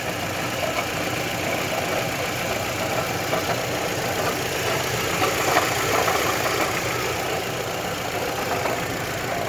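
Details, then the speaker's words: Mitsubishi Lancer 10 at idle: a light, uneven knocking rattle of about three a second over the engine. It sounds like the timing chain, but visual inspection showed it is the water pump. "Похожий звук на цепь, но это по визуальному оказалась помпа."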